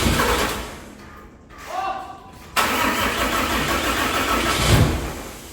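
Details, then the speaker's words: 600hp 6.7 Cummins-swapped hotshot truck after oil pan reinstall: long crank with no catch, then fires and runs rough a couple of seconds before fading and stalling; getting fuel, cause unknown. "Shoot. She ran. She ran for a second. That gives me hope."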